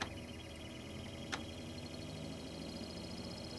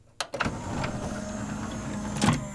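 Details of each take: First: CLD-M301 laserdisc player switching to side B: mechanism clunks, low motor hum drags up slowly and cuts off; longstanding fault where the motor won't spin up fast enough in reverse, side change fails. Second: CLD-M301 laserdisc player with 5-disc changer: click, then smooth steady motor whirr settling into even low hum with faint ticks; normal disc spin-up and laser tracking.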